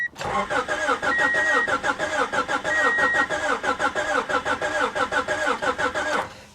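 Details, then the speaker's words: Salvage vehicle sitting perhaps 15–20 years, mouse-infested, suspected rotten fuel, likely no working fuel pump: starter cranks about 90 turns a minute with unevenly rising and falling beats, never catches; compression suspected uneven, not confirmed. "compression sounds uneven as well okay all right that's enough of that"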